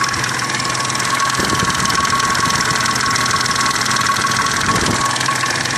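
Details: Triumph Stag at idle: steady idle with a loose, uneven tapping riding over it, about three a second; owner suspects the timing chains or jackshaft, unconfirmed.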